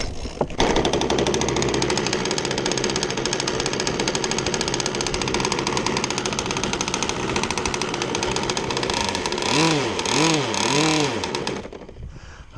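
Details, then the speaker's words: First start of a small engine build with custom spark plug, trim raised, idling very rich on purpose: rough burbling idle with small buzzes and a few quick throttle blips; rich but healthy. "right very very rich which is okay it's what we want right now"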